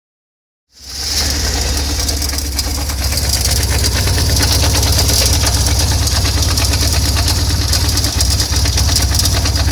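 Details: BMW R1150R motorcycle twin starting and running with a deep uneven beat and a loose clattery knocking on top; strange noise, cause unidentified.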